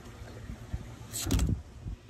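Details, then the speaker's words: Pool autofill irrigation valve gives a loud, deep thunk on shutoff, water hammer carried through the whole house's plumbing, before fitting an inline water hammer arrestor at the house supply hose bib. "hear that funk when the valve turns off it's pretty loud and it's pretty annoying"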